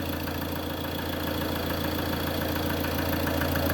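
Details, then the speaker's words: 2013 Ford Transit 2.2 diesel idling with a light, regular click-like knock about twice a second; seems to come from the lower area near the gearbox and starter, source not yet found; clicking knock at idle. "Ford трант 2.2 двигатель 2013 года кто подскажет при работающем двигателе вот слышен вот такой стук как щелчок копаюсь и не могу"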